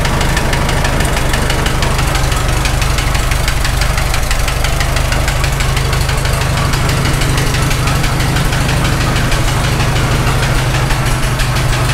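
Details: Farmall H tractor engine idling with a sharp, steady knock about three times a second from the top end; tappets ruled out, cause found to be a loose cylinder sleeve, valves and seats fine.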